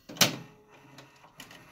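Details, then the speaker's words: 1983 Sylvania VC-2225SL01 top-loading VCR (rebranded Panasonic PV-1220), capstan belt shot and awaiting a new belt kit; pressing stop after fast-forward gives one loud brake hammer thunk, then quiet, which the owner says this deck has always made. "I can show you rewind which doesn't work I can show you fast-forward which does work and you can hear the loud hammering of the break when I hit stop"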